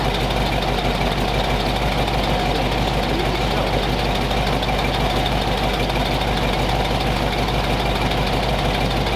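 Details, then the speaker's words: Warm flathead V8 after about 20 minutes of idle, temperature back down to 180 degrees with thermostat open, 30 psi oil pressure, no exhaust smoke; even, steady soft low rumble with no misses or knocks, running smooth and healthy. "Running smooth as silk, still had 30 pounds of oil pressure, no smoke coming out of the exhaust. Sounded smooth as heck."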